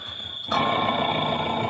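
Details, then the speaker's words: Automatic washing machine with loud motor noise: sudden steady high-pitched squeal; check with belt removed points to a worn motor bearing, suspected, not confirmed; fix is to replace bearing or motor. "อย่างนี้น่าจะเป็นที่ลูกปืนแล้วมั้งครับถ้าเราจะทำการซ่อมเราก็Topออกมาเปลี่ยนลูกปืนครับก็น่าจะหายครับ"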